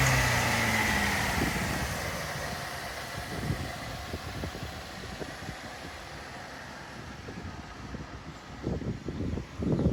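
A high thin squeal rides over the engine for the first couple of seconds after start, then fades to a plain idle: slipping belt.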